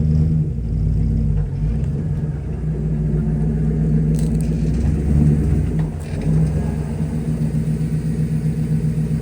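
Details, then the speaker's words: Car driven around a parking lot: under the road rumble, a gritty metal-on-metal pulse repeats about four times a second. The rear end, which has had repair work and shows fluid in the back wheel, was suspected, but the noise persists. "well I have a feeling that that uh I just wasted a lot of time and money with the rear end cuz I still hear that scary noise"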